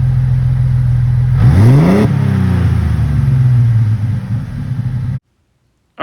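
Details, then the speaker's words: 2004 Jeep Wrangler Rubicon 4.0L inline six after top-end rebuild for a head gasket leak, new electric fan and Y-pipe back on: loud steady exhaust at idle with one clean blip rising and settling smoothly; runs evenly and healthy. "so we're gonna fire it up here in a second after we check everything and uh it's gonna be loud but that's how we like it"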